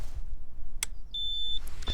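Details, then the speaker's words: Bulldog Spirit Moster MY25 Dual Start paramotor engine, brand new with 0 hours, no propeller fitted: master switch turned on gives a short high electronic beep and flashing light warning that the throttle's electric start button is live. "you get a flashing light and an audible sound that the throttle is now live, and pressing that button will start the engine."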